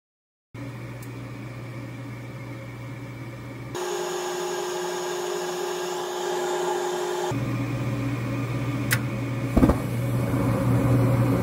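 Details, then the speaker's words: Goodman furnace showing error E2, cycling on the high limit after about a minute, igniter failed: steady blower hum with strained, rushing air rising in steps, airflow choked by a badly plugged filter. "we've got a very plug filter here you could even hear the air just struggling to get through this"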